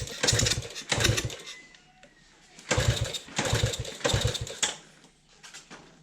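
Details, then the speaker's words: Old estate CT90 being revived: several kick-over chuffing bursts that die away with no firing. The owner suspects little or no spark, possibly from janky wiring. Cranks but no start; cause not confirmed. "I don't think we're getting much spark out of this. I don't think we're getting any spark out of this."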